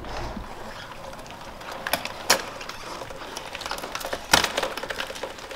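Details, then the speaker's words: Yamaha YZF-R6 with original factory chain and sprockets at 25,000 miles, pushed by hand: quiet except two distinct sharp clicks as the stretched chain binds on the rear sprocket; noticeably loud when riding, chain worn out and due for replacement. "You can probably hear those two little clicks. When I'm riding the bike, it is noticeably loud. So needless to say, this has to be done because the chain is pretty shot."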